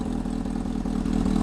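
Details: Honda motorcycle engine after fitting a cam chain tensioner: picks up and revs smoothly with an even exhaust pulse and no knocking or rattling from the cam chain. Sounds healthy.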